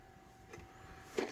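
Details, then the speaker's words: 1991 Chevy Caprice LS swap, fuel tank on the ground feeding a jug through a hose, pump powered through a relay: faint, steady high hum under handling knocks; the in-tank fuel pump runs strong and normally. "Now I have it going into a little jug over here. Man, it sounds strong. Okay. Well, it was kicking on."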